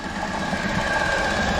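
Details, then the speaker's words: Engine ticking at idle after being refilled with oil: a fast, light sewing-machine tick over an even idle; owner suspects a lifter tick or small exhaust leak, no fuel smell; small air-leak code stored, and it hesitates under load in gear. "That's what I'm gonna have to investigate. It almost sounds either a lifter tick or a very small exhaust leak."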